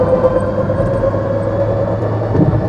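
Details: GAC Trumpchi GA5 range-extender hybrid at 280,000 km with engine and hybrid fault codes: heavy drivetrain rumble with a low hum and higher whine under acceleration, louder on lift-off; noise traced to the drive unit, which is cracked and leaking oil.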